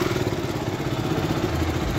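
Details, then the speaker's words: KTM Duke 200 after service and throttle body cleaning, which previously barely started and misfired badly: steady, even single-cylinder idle with smooth low beat, no stumbles or missed firings; normal idle. "जबरदस्त sound सुन भाई बहुत ही प्यारा sound देखो अब कोई missing नहीं है भाई गाड़ी में"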